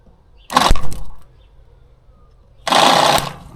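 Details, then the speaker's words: David Brown 990 diesel tractor abandoned 20 years after rolling over while running, engine turns by hand so not seized: two short strained buzzing bursts with no cranking; starter engages but won't turn the engine, cause unknown. "Alright, we'll see if there's any life in that starter motor. It's trying, but it's not turning."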